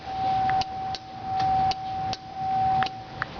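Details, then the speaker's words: Buick Century on a jump box after battery died from cranking: sharp dry clicks about once a second, uneven, with a faint steady tone, no starter actuation; owner hears ABS relay clicking and suspected idle speed control noise, cause unknown. "No starter actuation. The only noises I'm getting are clicking coming from the ABS relay and then yeah, clicking from"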